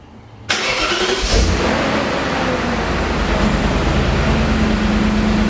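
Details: BMW E39 M5 V8 after rebuild and cleanup, cold start recorded on the camera's built-in microphone: sharp starter catch, then settles straight into a smooth, even idle with no ticks or knocks; healthy.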